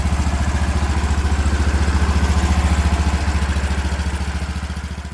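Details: 36-year-old Toro Wheel Horse 416-8 garden tractor after fixing a leaking fuel line: even, steady low thump about three and a half beats a second, no misses or knocks; sounds pretty good, normal running.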